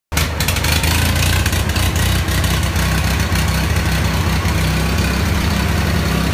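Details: Ford 3000 gasoline tractor: loud, uneven idle with a ragged, stumbling beat and irregular misses; rough running, cause unknown, owner weighing spark plugs, fuel additives or carb cleanup.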